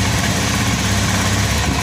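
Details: Honda Scoopy FI scooter that stalled when throttled after its tank was cleaned: after injector cleaning it idles with a steady, even low putter, no misses or surges, and no longer bogs out.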